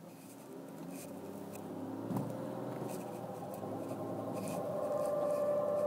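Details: 2001 BMW E46 325i, owner suspects the transmission; noise occurs only when cold and goes away after 15-20 minutes of driving: low hum with a light scraping patter about four a second and a thin whine; cause unidentified.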